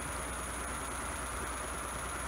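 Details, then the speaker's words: Home-built e-bike hub motor made from a hoverboard motor, spinning unloaded at full throttle drawing about three amps: constant smooth hum at steady high speed with no clicks or rubbing; normal free spin. "you see a full throttle you're pretty much drawing like three amps which is not too bad"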